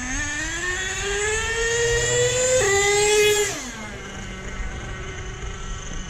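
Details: Nitro monster truck with new clutch bell and spur gears on 30% fuel, high and low end each richened half a turn, idle raised: revs climb smoothly under slow trigger pull, no stutter or sag, and drop cleanly. Engine tuned well.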